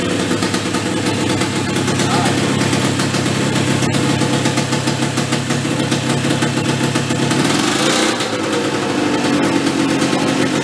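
Small petrol engine thumps along at a steady, even pace while driving the compressor, no hunting or bogging, running properly.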